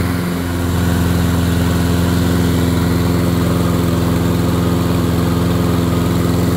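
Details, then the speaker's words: Toro Personal Pace mower, Briggs TXP 159cc engine, just after a spring tune-up (oil, blades, air filter), bail clamped: steady, even, deep chug with no surging; the tachometer shows governed speed too low (spec 2900–3100 rpm), before the rpm adjustment. "when I started it up it it felt a little slow or sounded a little slow"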